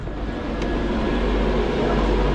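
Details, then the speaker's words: Commercial wine cooler with a breaker that kept tripping, its thermostat wires disconnected, breaker now holding: steady even whoosh and low hum, no rattles or scraping; evaporator fan running normally, no cooling because the thermostat is disconnected. "fan is running and this fan is running and we got no cooling but that's because the thermostat is disconnected"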